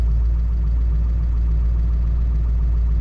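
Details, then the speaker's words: 2002 Ford F-250 7.3 Powerstroke diesel, previously running rough, missing, shaking, no power, after owner's repair: deep even diesel idle with steady beat, no stumbles or misses; smoother than before, owner thinks it's fixed, normal idle. "it's even smoother now than it was when it was running okay it still seemed like it was bumping around a little bit and now she's pretty smooth i think uh you know by golly i think we fixed it"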